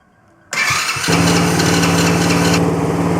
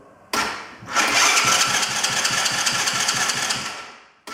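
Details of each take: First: One of three cheap broken quad bikes, after fixing a leaking carburetor, started with key and kill switch: brief crank, catches within half a second, settles into an even steady idle, no misses or knocks; normal start and idle. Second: Cheap broken quad bike with battery, key and kill switch on, electric start pressed: two long bursts of even starter cranking, about four seconds each, never catching or firing; cranks but won't start.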